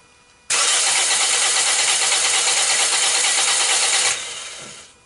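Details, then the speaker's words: 2010–2011 Toyota Corolla with the 1NZ engine, crank-no-start after an engine-bay wash at a car wash, during a compression test. About 3.5 s of steady cranking with no firing; cylinders 2 and 3 read low, possibly from fuel wash after heavy cranking (uncertain); low compression on two cylinders. "so wait I'm seeing two cylinders with low compression while the others are up right"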